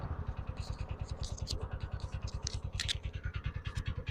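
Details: TVS Ntorq BS6 scooter with starting problem, cold weather, auto-choke raising then lowering idle speed; idle with steady pulsing thump about three times a second and intermittent tinny clatter on top, source of noise unknown.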